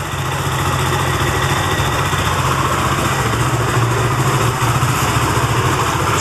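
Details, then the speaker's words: Benelli TNT25 250cc motorcycle idling: thin steady bee-like buzz over the exhaust beat, louder on the camshaft side, like a loose nut inside; three mechanics failed to find the cause. "pero el ruido en sí es ese que hace como una abejita como"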